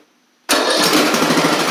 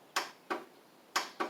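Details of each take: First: Craftsman riding mower with new carburetor, after an erratic starter needed knocking: the engine fires after half a second, revs up and settles into a steady, even buzzing run; it starts right up and runs normally, though the owner will swap the starter back to the original. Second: Craftsman riding mower with carb spray added and solenoid refitted: five sharp single clicks at uneven intervals with no cranking; starter clicks but the engine won't turn over, the owner suspecting a bad starter or battery before checking battery voltage.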